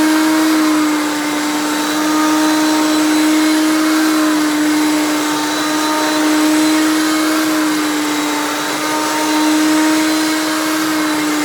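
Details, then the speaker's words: 1994 Hoover PowerMax Supreme U3737-930 vintage upright vacuum running: a loud, steady, high-pitched motor whine with an even pitch and no surging or rattling, possibly louder than the owner's Elite uprights; healthy but noisy. "like I said it's very loud which is the thing with all these old Hoover's there may be loud and unrefined I honestly think this might be louder than any of the elites that I have"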